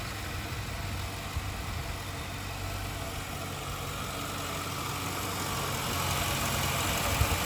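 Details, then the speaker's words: 2003 Mercury Grand Marquis at idle after idler pulley and serpentine belt replacement cured an under-hood screech: steady, smooth low idle with no squeal or chirp from the belt drive; engine sounds healthy. "Oh, it's quiet again. Pretty easy to repair."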